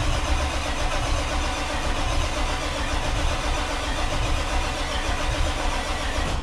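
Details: Diesel truck at its first start attempt after a Stage 1 build with many new parts: a long cranking drone with uneven catching that never runs. Fuel pressure holds at 55 with no leaks, and the expected cause is air still in the fuel system.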